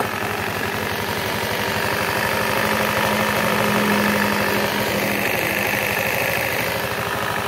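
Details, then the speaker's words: Honda Beat fuel-injected scooter: dry, uneven rattle from the CVT belt-drive side at idle after revving, from worn loose pulley boss, before repair. "nah itu kalau habis digas suaranya ender [Tepuk tangan] Jadi kalau habis digas suaranya kita akan mencoba perbaiki"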